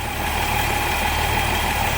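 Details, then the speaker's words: Toyota FJ40 Land Cruiser, sat for a while, just restarted: carbureted six at steady, even idle with choke off, no stumble or miss; sounds good. "There she goes, idling, choke off. Awesome. That sounds pretty good."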